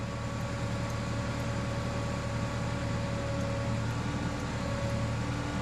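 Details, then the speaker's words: Forklift that had sat and was non-running, now running after a few replaced parts: steady, even idle drone with a low hum and faint fan whine, no knocks or misses; normal idle. "it's running good it's not it's not doing that anymore"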